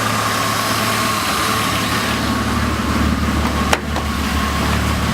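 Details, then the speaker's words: Mercedes 190 with freshly swapped CIS M104.980 inline-six: smooth, steady idle with an even hum and no misses, knocks or ticks; normal idle. "This thing sounds absolutely crazy."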